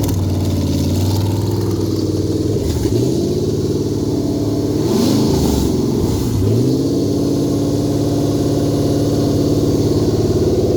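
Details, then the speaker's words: Toyota 2UZ non-VVT V8 on a new custom harness, ECU flashed for a manual transmission with a performance tune, first test run: it needs time to build fuel pressure, then settles into a smooth, even idle and takes clean blips. It runs healthy. "let's give her a ster takes a bit of time because it's got to build up oil uh fuel pressure"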